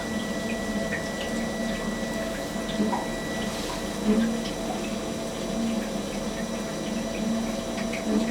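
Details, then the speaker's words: Webasto diesel heater on a boat, supplying hot water and central heating, during its firing-up process; steady low hum with soft regular pump ticks under running water as it primes and starts to draw; normal start-up. "I'm going to shut up for a moment while it just goes through it firing up process because in a moment you'll start to hear it draw and perform and pump everything through and start to actually do its job of heating up the appliances on the boat"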